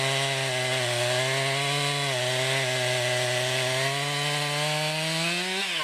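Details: 2020 Stihl MS261, non-M-Tronic carbureted, 20-inch bar, cutting off a poplar log about 1.5 ft across, then a plunge cut: high steady two-stroke scream sags as the chain bites and climbs as it frees; normal cutting under load.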